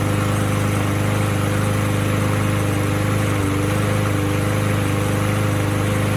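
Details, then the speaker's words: Abused trash-found Troy-Bilt mower with blade, missing air filter, almost no compression, oil topped up with 20W50: even, steady putter without misses or knocks; surprisingly runs pretty good, carburetor still to be cleaned. "Kind of surprising. It actually seems to run pretty good."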